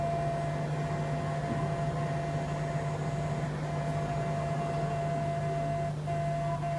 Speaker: The last one is the vibration motor. Now the vibration motor makes a lot of noise.